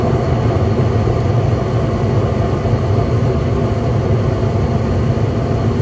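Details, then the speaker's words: York 80% gas furnace on a no-heat call, after ignition: steady, even burner and inducer rumble with no surging, and the fan relay clicks on. Nothing flashes on the control board; a thermostat fault is suspected. "ignition she's running i'm gonna guess that probably something wrong with the thermostat nothing's flashing on the control though just a fan relay it just clicked on"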